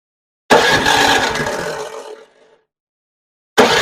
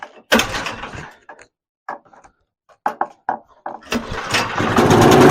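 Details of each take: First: Newer TroyBilt snowblower after repair and reassembly, started with key on choke: catches with a rough, lazy rattle, then sags and fades instead of reaching full speed; runs slow, owner suspects throttle setup. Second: Newer TroyBilt snowblower that wouldn't run, earlier not reaching full throttle, throttle setup or gummed carburetor suspected: several cord pulls, then it catches, revs up and settles into a steady, even run. Now running properly.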